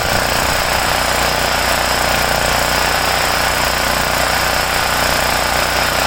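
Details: Homelite generator, 389cc Honda engine, after repairing no-start from poor fuel flow and dirty carburetor (ripped carb base gasket not replaced); steady even drone, fast regular beat, no misses or surges: running smoothly.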